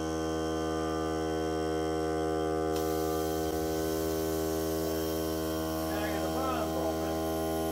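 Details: Hart cordless air compressor during break-in run on a fully charged battery (30 minutes or until the battery dies), pressure around 30, hose connected; steady motor drone, constant pitch, no hiss or pulsing, normal running under load.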